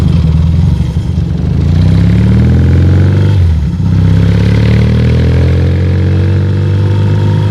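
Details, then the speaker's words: Yamaha 650 XSD (1977) with swapped-in 1981 electronic-ignition motor, Wassell mufflers and rebuilt '77 carbs; strong, even twin beat rising and falling cleanly with throttle, no knocks or misses, normal running. "And uh this motor's got uh electronic ignition, '81 motor. I got some Wassell mufflers on there and a pair of '77 carbs"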